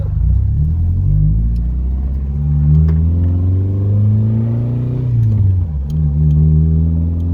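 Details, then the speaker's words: 1993 Nissan 240SX convertible, first drive after two days of getting it roadworthy; deep, smooth exhaust note climbing evenly with road speed, no knocks, misses or whines; engine running healthy under acceleration. "It sounds good. It does actually."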